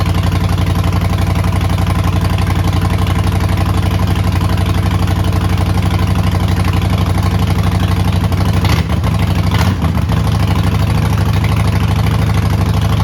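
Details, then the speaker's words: 2008 Harley-Davidson Sportster, neglected and long sitting, first startup: loud, deep, lumpy V-twin idle with steady pulse and brief throttle blips; runs evenly, no check-engine light, slight black smoke on throttle. "Okay, that is a massive win. I will take that any day. So, great news on the startup. It fired up."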